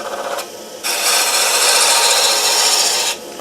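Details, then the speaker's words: Wood lathe spindle turning between centres at slow speed: the tool bites into the slowly turning wood with an even hissing rasp for about two seconds, smooth, no chatter; cut sound changes with lathe speed. "The thing is, if you have it running slow, then you can hear the difference in it. When you cut"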